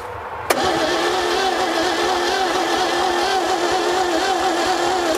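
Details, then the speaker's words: 1957 Viking truck abandoned over 50 years: the starter churns at an even, slightly wavering pace and the engine never fires. Compression reads about 70, with heavy blow-by; stuck rings or a worn-out engine are suspected. "so we know we're fighting an engine that has really low compression that could be due to it just setting up and having some stuck Rings"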